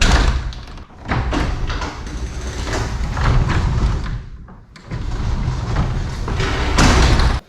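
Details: Garage door pulled down manually after cleaning the tracks and lubing with white lithium grease: steady rolling rumble with no squeak or groan, ending in a solid thud.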